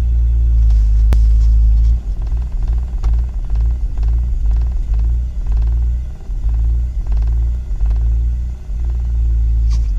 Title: M54 rough idle due to broken MAF sensor